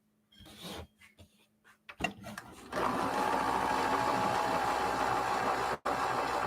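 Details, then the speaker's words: Vintage sewing machine, unthreaded: steady whirring run at about four beats a second after slow starts, sounding stiff and labored; dragging, belt tensioning suspected. "Because right now it is dragging. See if we can change the speed of the machine and see if that helps a little bit."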